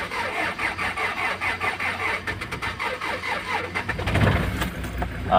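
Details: Kia Sorento D4CB diesel with codes P1183, P0263, P0272: steady rhythmic cranking about four beats a second without catching; cranks but won't start. Injector circuit/cylinder fault suspected, unconfirmed.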